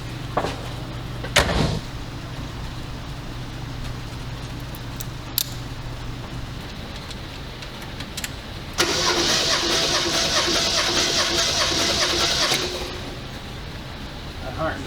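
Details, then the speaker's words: 1980 Ford Fiesta four-cylinder cranking during a compression test: about four seconds of fast, steady cranking with no skipped strokes. Compression is good and even: 130, 130, ~135 and ~140 psi. "right so i have the results here cylinder one did 130 psi cylinder 2 130 cylinder 3 135 ish cylinder 4 140 ish"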